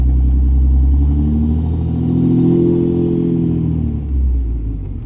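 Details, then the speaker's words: Diesel truck running without its sixth injector, idling: uneven loping pulse with a faint rattle from that cylinder, rising briefly when revved; it dropped the cylinder and set a check engine light. "yeah runs like it like kicked out that cylinder for a minute and then threw a check engine light I hear the rattling up there that one"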